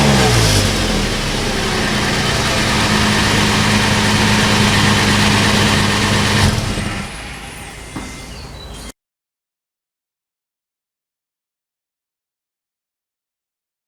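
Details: About 15-year-old Toyota FJ Cruiser on the lift with its original rusted OEM exhaust, before the MagnaFlow cat-back replacement: clean start to a smooth, even idle, then crisp rev blips with no rattles, leaks or popping; sounds healthy.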